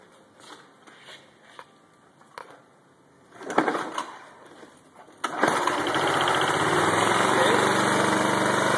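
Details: DIY lawnmower-engine generator converted from gasoline to propane, fed through a ball valve into the carburetor fuel line connector. A hiss of propane flow, then the small engine catches and settles into a steady, even buzz with no misses or surging: normal running.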